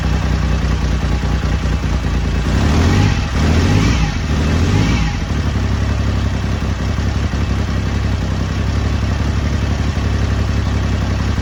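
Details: BSA Rocket Three Mark 2 five-speed (A75V) triple after a carburettor service for erratic running, choke eased, not yet warmed: even steady idle beat, clean throttle blips that settle smoothly. Normal running.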